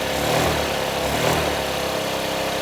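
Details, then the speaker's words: Honda Ruckus scooter just started after a new fuel pump, once the carb bowl refilled: small single runs fast and steady without settling; idle a bit high, possibly needs warm-up or was set up to compensate for the old bad pump. "So it sounds like the idle's a little bit high."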